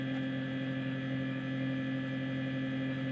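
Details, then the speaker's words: Two-door fridge, lower section reportedly not cooling: very loud steady hum with rough droning fan heard from the back, no cycling; iced evaporator from failed defrost catching the fan — evaporator fan noise from defrost fault. "Dan ini suaranya nyaring banget ya, bisa dengar gak ya suaranya kayak gini suaranya. Kalau kita dengarkan dari belakangnya ya, suaranya nyaring banget."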